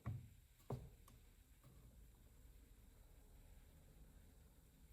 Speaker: When you hear that click, that means that you have reached 25 ft-lbs and you shouldn't go anymore.